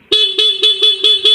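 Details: Yamaha Mio scooter horn after repairing a faulty, unresponsive horn button; six short clear beeps about four per second at steady pitch and full strength, the horn now sounds normally.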